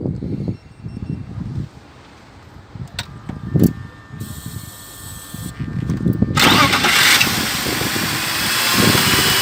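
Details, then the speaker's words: BMW E39 with M52TU six after replacing the mechanical coolant pump that caused unusual sounds: handling clatter, then the engine starts and holds a quiet, even idle with no whine or rattle. Noise gone, pump was the problem; normal idle. "Ձենը չկա, խնդիրը լուծվեց, պրոբլեմը պոմպից էր։"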